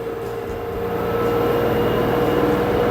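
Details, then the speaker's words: LG 8 kg inverter washer-dryer combo after water-damage display/selector repair, spin test reaching about 1370 rpm (not 1400): smooth rising motor whine, no knocking or scraping; spin healthy. "1200, 1300. It is coming only maximum, it's showing 1370 or 70. It's not showing 1400, but it is okay, it's perfect."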